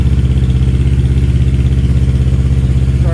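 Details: Kawasaki KLE 650 A7 twin, an auction buy, warming up at idle: even, steady low thumping with regular firing and no knocks or rattles; normal idle.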